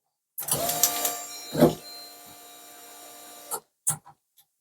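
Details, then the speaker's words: Mk1 Ford Capri with Rover V8 turbo, unmapped ECU, before first start: about three seconds of steady electric whir with faint ticking at key-on as system wets cylinders with fuel, then stops; normal priming. "you turn the ignition on you hear that it's wetting cylinders so it just sprays a bit of unspent fuel down the cylinders it doesn't keep running"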